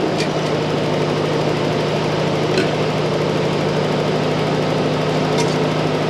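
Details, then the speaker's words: M151 Jeep after draining contaminated fuel and adding a fuel filter, carburetor idle issue addressed, choke about three-quarters on: steady, even idle with a constant low hum and no misses or stumbles; sounds much better, normal idle. "that sounds a whole lot better"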